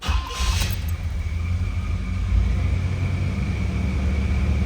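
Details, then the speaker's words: 1987 Chevrolet Monte Carlo SS, carbureted, about 15,000 miles, cold start after two accelerator taps: catches straight away and holds a deep, steady rumble without stumbling or misses; healthy cold start. "We did have a nice cold start there."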